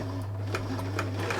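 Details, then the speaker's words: Thrift-store Singer 328P sewing machine at first power-up before oiling: steady motor hum with light, evenly spaced needle ticks, no slipping or chatter; motor strong, drive belt fine, needs oil; normal running. "Yeah, it needs oil. Nice and strong. Motor's strong."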